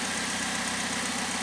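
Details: 2008 Pontiac G6 2.4L EcoTec after replacing the variable valve timing solenoid for code P0013, with new antifreeze. Smooth, even idle with a steady low pulse, no ticking, rattle or hunting; healthy.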